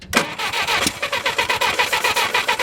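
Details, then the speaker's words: Barn-find Willys Jeep 4-cylinder, year unknown, cranked after new coil and H12 Champion plugs gave spark, with a little gas poured in: quick even cranking beats with a few sharper catches, trying to fire but not running. "I'm gonna put a little gas in it. That ought to be enough, right? All right, crank it up. Let's see if it'll fire."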